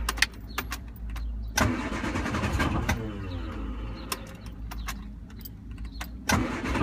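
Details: 1974 MG Midget cranks freely with steady, even starter churning but never fires or catches; plugs cleaned, starter fluid tried, fuel pump fine; owner suspects not enough air.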